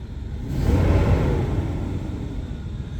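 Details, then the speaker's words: BMW E38 750iL V12 parts car, running after a throttle body adaptation: smooth rise in revs with clean pickup and no stumble or miss, then an easy fall back toward idle; normal rev response, fires right up. "yeah right off the fan yeah I don't even hear a Miss in it sounds good"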